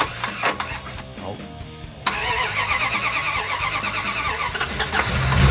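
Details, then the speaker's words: Big-block V8 (1967 Dodge Coronet or 1966 Buick Wildcat), sat about two weeks, unprimed, pedal not pumped, with regulator-bypass jumper because only about 9 volts reached the new distributor: starter whirs briefly, engine catches at once and settles into steady, slightly lumpy idle. "This car's been sitting for probably 2 weeks. Haven't primed it at all, and it cranks up like that. That is pretty freaking cool."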